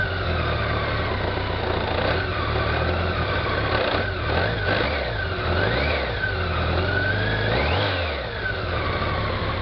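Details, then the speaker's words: 2001 BMW K1200RS with a dry clutch: a loose, busy rattle over the engine at idle and light revs, the worn clutch thrust bearing; the noise almost disappears with the clutch lever pulled in. "Also, the thrust bearing's making a bit of a noise. Start it up here. Hear that rattle on there? That's the thrust bearing."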